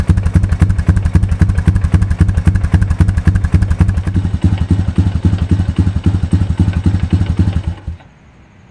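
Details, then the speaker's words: 2002 Honda TRX250EX Sportrax, low hours, left outside for 10 years: steady heavy knock, about four a second, over a lumpy single-cylinder idle; a stethoscope places it at the clutch side, and the owner hopes a clutch adjustment will fix it. "running pretty good right now but the engine is making a knocking noise and i was concerned i used a stethoscope and i can tell it's coming from up here which is where the clutch is"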